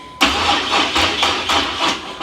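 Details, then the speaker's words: 1987 Chevrolet Monte Carlo SS, new 383 stroker and 200-4R transmission, first start attempt: starter whirs in uneven bursts about two seconds, engine never fires; suspected poor connection at distributor. "It ain't even trying to start. It doesn't sound like it's firing at all."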